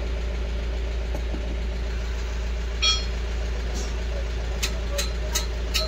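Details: Mahindra Bolero BS6 diesel pickup after DPF silencer cleaning, previously DPF malfunction warning and high soot mass, not exceeding 60 km/h; smooth low steady idle with light background clicks, no knocking; running normally.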